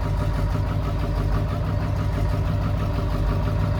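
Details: Ford 7.3L Powerstroke diesel (lift pump, no electric pump), new fuel tank and filter, just reprimed after sitting days with empty fuel bowl; loud deep idle with uneven, lumpy beat, rough idle from air bleeding out of fuel system.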